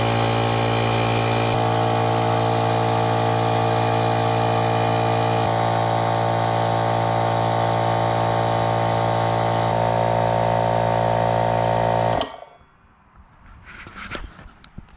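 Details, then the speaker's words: Used air compressor after the regulator was cleaned and the connections Teflon-taped to cure air leaks: a steady, even hum and pump beat for about twelve seconds, then a clean shutoff. It builds pressure fine with no leaks. "and there you go it seemed to build up to pressure just fine and I hear nothing leaking"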